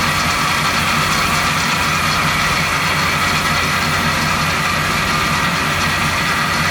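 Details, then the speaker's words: 1970 Chevy C10 350 small-block at idle, clamp-probed accessories: constant metallic rub over engine; ruled out water pump, power steering, fuel pump and alternator bracket, source still undetermined. "all right so that tool didn't really help out in this situation it's not coming from the water pump it's not coming from the power steering it doesn't appear to be come from the fuel pump either"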